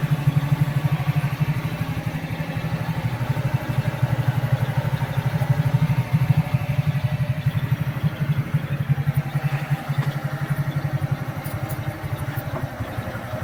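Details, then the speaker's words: Kazuma Meerkat Chinese quad, small single-cylinder with Japanese carburetor, warm during idle adjustment: even quick putter at steady idle, no stumbling or hunting, decent throttle response; normal idle. "awesome pretty decent throttle response though i mean i can clean that up better smooth though"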